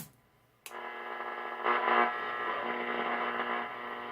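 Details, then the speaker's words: Restored Stewart-Warner 1262 antique tube radio on the AM broadcast band: steady electrical buzz with a fixed hum tone under station audio; interference source unknown. "no idea what the source of that noise is it drives me crazy"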